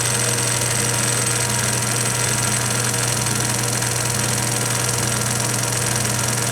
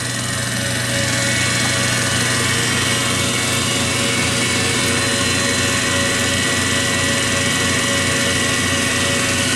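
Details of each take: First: 1920s Kwik-Way valve refacer motor running with grinding spindle disengaged; steady hum with faint rhythmic tick about 160 per minute, owner suspects the belt joint slapping the lower pulley, motor otherwise silent; belt noise. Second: 1920s Kwik-Way valve refacer after cleanup: a steady motor hum with even spindle whir, with both grinding and work spindles turning. A faint regular tick of about 160 per minute is thought to come from the belt joint passing the lower pulley.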